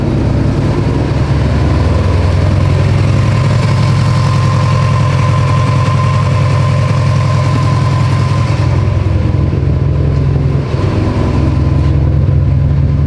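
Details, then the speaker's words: Built Subaru STI idle with an irregular, lumpy stumble; misfire logging up to 35 roughness counts on cylinder 4. Injectors 2 and 4 were swapped but the roughness stayed on cylinder 4; all cylinders show slight roughness. Cause unknown. "swapped injectors it's still cylinder four giving us issues all cylinders have a little bit of roughness but it's mainly four"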